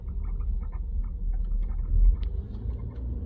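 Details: 2020 BMW M340i: short, uneven high chirps over road rumble, seemingly from behind the seat inside, occurring only while moving or when the parked car is pushed up and down; squeak over bumps, source unknown.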